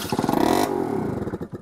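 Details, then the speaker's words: 1980s Honda Gyro sat 10+ years: a few uneven catches while cranking on sprayed carb cleaner that die within a second or two; has spark but starves for fuel, owner suspects clogged tank strainer; varnished carburetor. "I guess is the next question may have a clog strainer in the tank or something"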